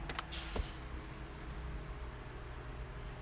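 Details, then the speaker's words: 2019 Ford Mustang GT leather power seat after fixing the seat-to-console rubbing squeak with felt tape: steady, even motor hum as the seat travels, no squeak or rubbing; normal operation. "it worked it worked it did not um make that noise"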